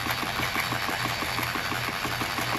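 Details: 2013 Mercury 250 Pro XS Optimax outboard after a Chris Carson carbon fiber reed valve upgrade, oil pump priming: even, steady idle with a light regular ticking pulse, no misses or knocks; a normal healthy idle.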